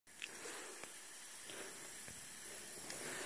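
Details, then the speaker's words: Maple sap tubing lateral with a big vacuum leak at a tap in dead wood, audible from 200 feet: steady, sharp, high-velocity hiss of air whistling through the tubing. "a big leak you can actually hear this one it's in this particular lateral right here"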